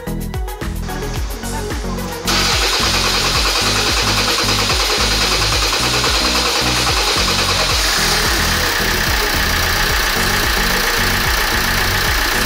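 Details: Kia Grand Carnival with R diesel engine, which had a noise at start-up: brief cranking, then it catches at once and settles into a steady, even idle with no odd noises, normal start and idle.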